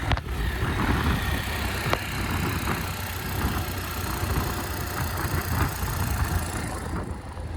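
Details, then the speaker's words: 2022 Bajaj Pulsar NS 125 at about 35,000 km: single-cylinder idle with scattered sharp ticks over a low thrum; odd noise worst at high rpm persisted after service, later traced to a faulty spark plug. "अभी हमने इसके अंदर दोबारा service centre लेकर गए थे इस bike को और इसमें दिक्कत जो आ रही थी अभी स्पार्क प्लग की दिक्कत आ रही थी"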